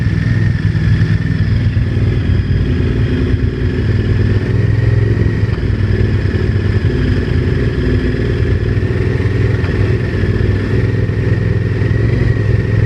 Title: VTR1000 engine knocking